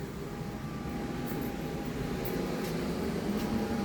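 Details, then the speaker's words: Fuzion RV furnace just switched off: soft steady fan hum with a faint constant tone as the blower keeps running about a minute to purge fumes from the system; normal post-purge blower run. "You notice I turned the furnace off, but we still hear the blower. That's because it's blowing any fumes out of the system. It'll stay on for about a minute."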